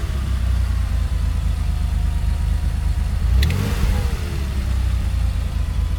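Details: Porsche 930 3.3L: steady low engine rumble with a brief rev and a faint irregular edge; abnormal engine noise, cause unclear.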